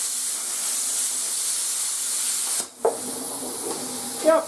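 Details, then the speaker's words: YesWelder CT2050 welder/plasma cutter switched from onboard compressor to shop air: strong, even air hiss for a few seconds then clean cutoff; plasma cutting normally, no difference from onboard compressor. "perfect guys i don't see any difference between how it ran with its onboard compressor versus how it runs on my shop compressor"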